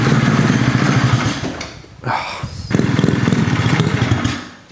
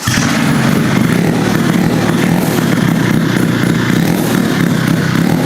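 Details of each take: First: Rotary-swapped Honda QA50 after 6 months unused: it starts, then runs rough and buzzy, sags, picks up briefly and dies; fuel starvation because the fuel tap was left shut. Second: Rotary-engine-swapped Honda QA50 minibike started for the first time in about 6 months after adding fuel: it runs crisply and revs freely with a steady, even note until it cuts off. Normal running.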